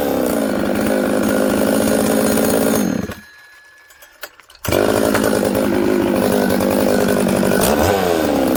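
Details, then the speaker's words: Newly built Buckin's 266 chainsaw after assembly silicone was put around the oil pump O-ring to fix a suspected air leak: crisp buzz revs out, drops cleanly, then picks straight back up and holds steady; normal idle and revving. "okay friends uh i had the saw running there you can see it starts it idles it settles down quickly i can flip it all around it's good"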